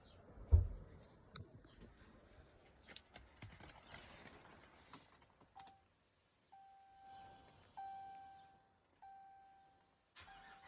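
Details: Ram V8 starting after cabin chimes and idling with a quick, steady tick from an exhaust manifold leak, not a lifter tick.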